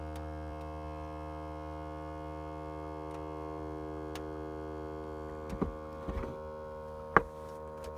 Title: VOLVO S60 MY2012 At engine stop makes a buzz sound